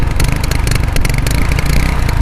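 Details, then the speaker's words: 35-year-old Hero Honda CD100 Deluxe motorcycle revived after 5 years unused, riding: steady even single-cylinder thump firing regularly with no knocks or rattles; engine runs sound. "ಸುಮ್ಮನೆ ಆದರೂ sound ಕೇಳಿಸ್ಕೊಳ್ಳಿ, ಸೌಂಡೇ ಒಳ್ಳೆ next level ಆಗೈತೆ ಮಾತ್ರ."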